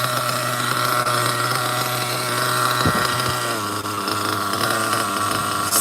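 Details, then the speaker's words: OFNA Ultra MBX nitro buggy with Hyper 21 Turbo engine, tuned; steady even buzzing super-low idle with no misses or hunting, ticking over nicely. "I think this is the best low idle engine ever. See that? Super low."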